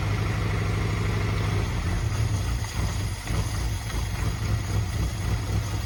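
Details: 1991 Suzuki Swift 1.6 AWD saloon, carburettor, running on fuel poured in: uneven lumpy idle with low throbbing that wavers and dips, barely running; owner suspects blockage stopping fuel reaching the float bowl.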